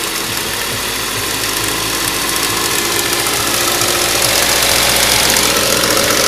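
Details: Ford Duratec HE 1.8 engine ticking: rapid, fairly even light ticking about 220 per minute over a busy idle; source unknown, owner asks what it could be.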